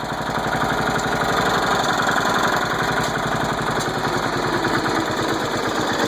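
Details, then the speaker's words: Engine just after its first start following flooding with mossy water: uneven popping beat around four per second with some stumbling as it still kicks out leftover water; runs rough. "I took all that water out of it. All that water kicking out of it. Alright, here she goes. She's running. Still putting a little bit."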